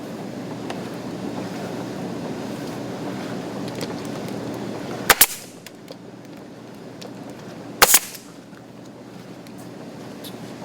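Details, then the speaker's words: HotSpring hot tub pump running on high speed after repairing a leaking old-style manifold where the soft flex pipe glued into it, using a RENU kit: steady even rush of water and motor hum, no surging, a couple of sharp knocks; no leak, running fine. "right ladies and gentlemen that is a completed repair and you see it is running right now on high speed you can hear it running and there's no water coming out down here at the bottom"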